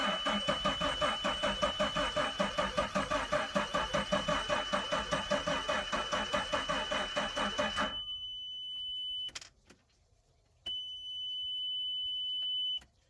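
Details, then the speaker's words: Volvo Penta V6/V8 boat engine on water muffs during winterization: starter churns evenly about two and a half turns a second, never catches, then a steady warning tone; kill switch was engaged. "I don't hear the fuel pump running might help if uh now he's got the kill switch is engaged"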